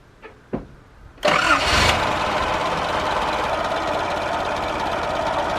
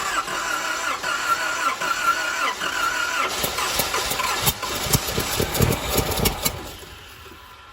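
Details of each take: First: 1989 Nissan 4x4 pickup, eight-plug four-cylinder, off the road seven to eight years, idle very low while ignition timing is adjusted by turning the distributor. Clicks, then it catches quickly and holds a steady, even idle without misses; normal idle. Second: 1989 Nissan 4x4 pickup, four-cylinder with eight spark plugs, 5-speed manual, parked about eight years, tried with brake cleaner. Starter churns unevenly for several seconds and never catches; cranks but no start because no fuel is reaching it.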